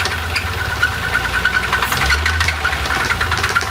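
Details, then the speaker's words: Nissan Altima SE-R engine on first start, boosted at 15 volts, with heavy oil on the front valve cover: rough idle with a sharp, evenly spaced knock keeping time with the engine and oily two-stroke-smelling smoke; spun rod bearing, engine done. "that's done huh that's a rod"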